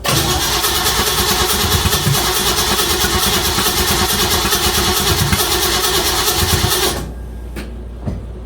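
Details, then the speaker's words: 1956 Chevy Bel Air, 307 V8 after lifter replacement, coil rewired to distributor: steady starter cranking about three beats a second for seven seconds, never catching; no start, suspected loose distributor wire or connection. "I don't know why she's not kicking. Let me let me let me noodle with it and see if I don't have a wire disconnected or something."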